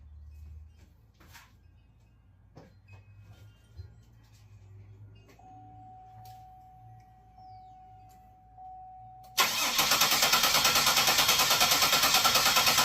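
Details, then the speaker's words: Salvaged auction Buick headed for scrap: the starter spins the engine evenly, about three beats a second, but it never catches. The cause was the fuel injector fuses, pulled earlier and forgotten, so no fuel reached the engine. "Well, no luck yet. Let's figure it out."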